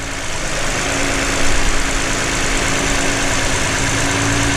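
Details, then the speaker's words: V6 after ignition coil replacement fixed a flashing check-engine misfire; even, steady idle with smooth low hum and no skipping. Normal idle, firing cleanly on all cylinders. "let's pop the car on i don't feel a misfire already"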